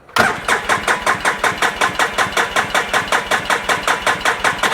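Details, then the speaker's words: 2010 Polaris RZR 800 S with a freshly rebuilt engine, cranked with the fuel pump unplugged to build pressure, on a weak battery (9.6 V, 10.7 V with a jump pack): even cranking at about 160 pulses a minute with strong, regular compression strokes; good compression. "I'm just turning it over, trying to build some pressure. Definitely sounds like it's got pretty good compression"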